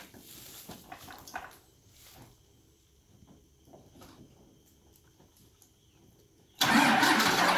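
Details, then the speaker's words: 1994 Dodge truck with stock exhaust, passenger fender and one battery removed, starting on one battery: quiet, then fires and settles into a strong, even run with no misses or knocks; runs good. "We got the passenger side fender off, so that battery's out. So it's starting on one battery, but it runs good."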